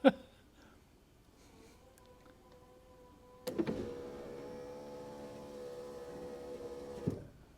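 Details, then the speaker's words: Mercedes 300D power window regulator, powered directly after silicone spray lubrication of the glass grooves, runs up at proper speed with a smooth, even whir and no grinding or binding. Only one of four windows had worked before repair. "That's about the speed that they should run up. when they're working properly. And then I'll reverse it. You hear the noise, the smoothness of operation."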